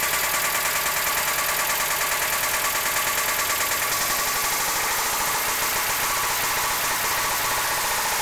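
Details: 1992 Mazda Miata, idle: quick regular tick about two per second over steady idle, top-end-type knock. Started abruptly, no power loss; owner suspected lifters, but a rebuilt head with new lifters and cams left the noise unchanged. Cause unknown.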